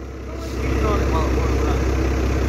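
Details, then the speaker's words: 12-valve Cummins dually, new OEM fuel pump, mileage 235: big diesel settles into a deep, even, loud idle clatter with no misses. Normal idle after the fuel pump repair. "good God I wish I wish my 12 out was that loud"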